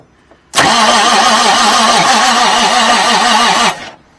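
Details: 1989 Marmon truck diesel, fuel solenoid open, engine possibly needing a rebuild: the starter grinds about three seconds with slow, even compression pulses of roughly four or five a second, never catching. Slow cranking, no start; the cause is unconfirmed.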